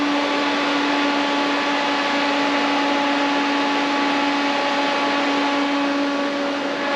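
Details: 1963 Dodge Sweptline Crew Cab engine just after cam break-in: steady, even drone at fast idle with no knocks or ticks; running smoothly, sounds like a decent motor.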